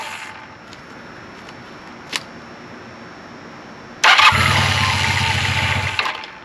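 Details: 1980 Honda CB400 Hawk twin, bought non-running, first start after carb rebuild and oil change, choke on, fuel from bottle into carbs: cranks and catches quickly, even exhaust note, no rattles; running nicely.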